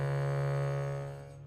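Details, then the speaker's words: Bhava harmonium recently moved from Chicago to dry Colorado, reeds began buzzing during the humidity change: one key's sustained reed note has a rough, rattling buzz as it fades. "normally this is how um it should sound but we've got one key here that has a buzzing"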